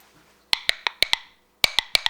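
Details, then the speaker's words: Pressure-canned chicken broth jar, cooled but still hot, lid pressed with a fingertip. Sharp tinny pops in two quick groups of four as the button flexes. Lid has not sealed; if it still pops when cold, the jar needs refrigerating as it is not shelf stable. "it has not sealed yet when they're completely cold if it's making that noise it needs to go in the fridge it is not shelf stable"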